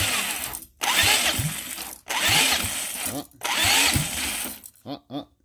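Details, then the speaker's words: First start attempt of a see-through engine on EFI, running on starter fluid. Three bursts of cranking with a few uneven pops, catching faintly but never running on its own; the builder suspects ignition timing is way off, unconfirmed. "like it's firing a little bit I definitely still think the timing is way off"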